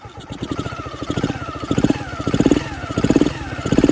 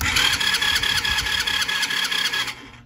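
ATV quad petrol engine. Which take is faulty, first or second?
second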